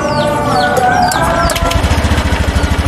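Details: Honda Vario 110 scooter after CVT cleaning and replacement of the clutch shoes and parts that caused judder and rattling on pull-away: settles into a steady, even idle, no knocking from the belt drive, running smooth.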